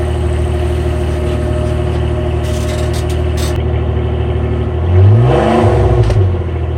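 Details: 2009 Nissan Maxima V6 idling: raspy, puffing exhaust note then a quick rev, from a deliberately made homemade exhaust leak for comparison with the stock exhaust.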